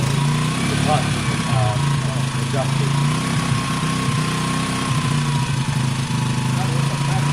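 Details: WK RT 125 single, improved running, choke on: even putter at a slightly raised choke idle, steady with no ticking or knocking; quiet and smooth, normal idle.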